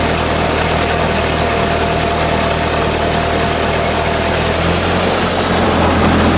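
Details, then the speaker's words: Ford 2N tractor chugging under load: loose, uneven rattle over the exhaust beat, cause unknown to the owner. "the governor seemed to work pretty good i took it back to the one hill back there and it didn't die out so that's good but i don't know why it's rattling like that it just doesn't sound right"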